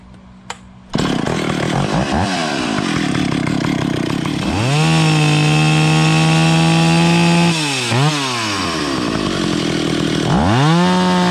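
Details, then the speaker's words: Vintage Stihl 031AV chainsaw after Walbro carburetor rebuild and adjustment (earlier leaned out too much): idles cleanly, revs crisply to a steady high scream, drops back and rises again without stumbling. Normal running. "okay that sounds pretty good let's put the air cover on it"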